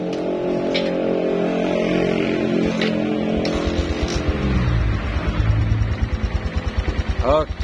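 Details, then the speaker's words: Suzuki Verza motorcycle after adjusting the cam chain tensioner to cure a harsh timing-chain noise: smooth, even idle, then throttle blips that rise and fall cleanly with no chain rattle. The fault was the cam chain and tensioner. "suaranya bagus sekali coba digas digas lepas nah halus suaranya"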